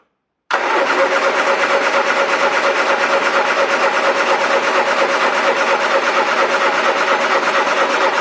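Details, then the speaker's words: Triumph Dolomite 1300, first start in a week or two after the carburettor was refitted, dashpot topped up with ATF, float chamber empty, bit of choke: catches into an uneven lumpy beat about two pulses a second; sounds like a misfire. "I decided to fit electronic ignition the uh engine wasn't running right last time I started it up uh misfiring uh stinking of"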